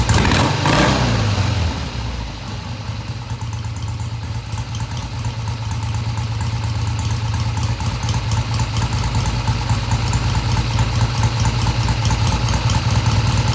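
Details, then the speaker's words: 1971 Triumph T120 650cc twin after carb adjustment (one screw tweaked about an eighth turn): steady, even low thrum settles after starting and holds without stumbling, coming off idle smoothly with no hesitation and revving through mid-range; normal idle. "So they don't have to be exactly even, but you want them to come off idle smoothly with no hesitation. And that's what the bike is doing, and it's revving all the way through mid-range."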